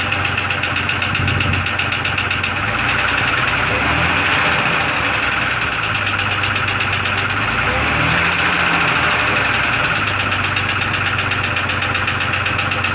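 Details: 2002 Jeep Grand Cherokee Laredo, after checking and topping up oil, cold weather: steady idle with quick, light ping-ping ticking about four a second; engine tick, cause unknown, possible teardown.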